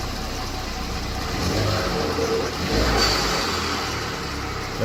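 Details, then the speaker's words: Ford Escape EcoBoost 1.6 with rebuilt 6F35 transmission using some 2.0 parts, driving after repair: steady road and engine drone under light acceleration, no clunks, slips or whine; normal driving. "Holy shit, it's actually working."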